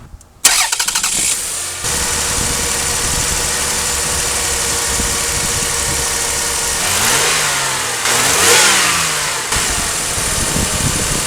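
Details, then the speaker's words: 2004 Toyota Avalon 3.0L V6 right after a spark plug replacement with Bosch Double Iridium plugs, cold start: it fires instantly and settles into a steady, fast cold high idle with even firing. No misses and no check engine lights; this is normal. "as you can see running great fires right up now the motor is cold that's why it's idling so high it's very common for these they'll they'll start out pretty high in idle and then they'll drop down once they warm up but running smooth no check engine lights everything looks good"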